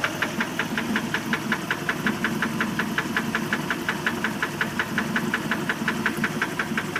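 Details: 1988 MerCruiser 3.0 L boat engine idling with a steady, sharp knock about three times a second; cause unknown.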